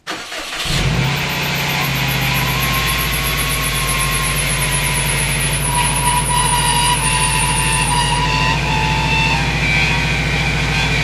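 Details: Subaru WRX test start after maintenance: the engine catches and settles to idle while a thin, high squeal drops in pitch and fades over several seconds. Owner first calls it a belt squeak, then suspects a pulley; cause unconfirmed.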